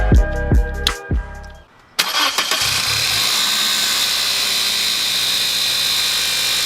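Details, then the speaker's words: Toyota Corolla just after installing an MWR alternator underdrive pulley: on startup a steady high whine over the idle, the alternator sounding noisy for unknown reasons. "so as you guys might have just heard in that last clip the alternator sounded pretty bad turning it sounded real noisy and honestly i'm not sure why"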